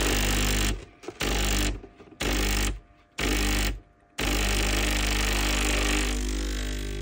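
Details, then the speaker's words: Breville Barista Express BES860 espresso machine after repair of solenoid leak and low pressure, portafilter with blank disc fitted, warmed up: vibratory pump drones in steady low pulses then holds an even strained hum at full pressure; pump healthy, no longer leaking. "that's full pressure the machine is maxed out uh probably I haven't looked at the gauge it sounds like it's maxing out and it is that's that makes me really happy"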